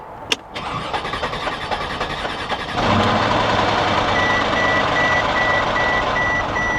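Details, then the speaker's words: 2000 Chevy S10 Xtreme at auction, light front-end collision, about 149,900 miles: engine cranks unevenly nearly three seconds before catching, then settles into steady idle; rough start. "there we go well I was concerned for a minute there guys that didn't sound very good"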